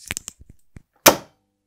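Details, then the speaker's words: Magnetic contactor (starter) for three-phase motors, working normally: a few light ticks, then one crisp clack on pull-in and complete silence, unlike a faulty unit that hums loudly from a dirty core. "вот так контактор работает нормально"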